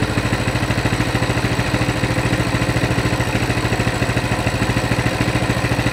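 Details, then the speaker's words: Coleman CT200 mini bike, non-adjustable carb, throttle return spring disconnected: an even, steady putter at about 1600 rpm, near the 1700 target, with a fluctuating reading. The clutch isn't moving: a normal idle. "it's fluctuating quite a bit but there you go clutch isn't moving"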